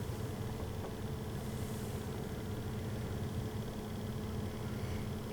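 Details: 2005 Jeep Liberty heater blower on setting 1 after blower motor resistor replacement (before, only high worked). A quiet, steady soft whir with no rattle or surging; low speed now works normally.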